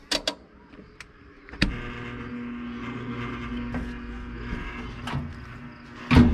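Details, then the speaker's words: Roper washing machine reported not working: switch clicks, motor hums steadily on fill but never spins, then another click; owner suspects bad capacitor or something blocking the motor. "you can hear that motor humming to fill the water you have it working the switch is working and the motor is also humming now the humming on that motor could be from a bad capacitor or it might be as simple as something blocking the motor"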